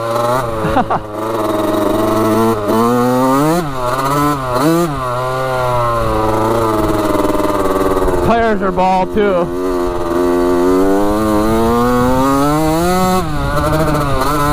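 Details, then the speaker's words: 1985 Yamaha YZ80 two-stroke dirt bike after a rebuild with new piston and epoxied water pump, ridden: crisp revs rise and fall cleanly with the throttle, no misses or rattles, a strong-running engine; front sprocket worn. "sounds good doesn't it she's a little ripper"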